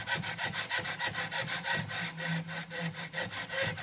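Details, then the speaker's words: 2012 Volkswagen Passat stabilizer link from the opposite side, flexed by hand: dry rasping creak about one and a half strokes a second, identical to the speed-bump noise; link rubber has failed. "그러니까 이 소리가 그 반지터 넘을 때 이 소리 있잖아요. 딱 똑같죠?"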